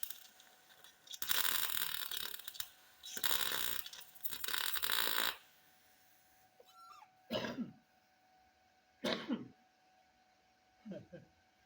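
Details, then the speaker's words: MIG welding universal motor mounts on a 1958 Ford Fairlane: loud crackling arc bursts with an uneven fluttering sizzle, caused by paint left on the metal contaminating the weld. "hear that flutter in there that's contamination i still got a little paint on that side right there i didn't quite get it all off"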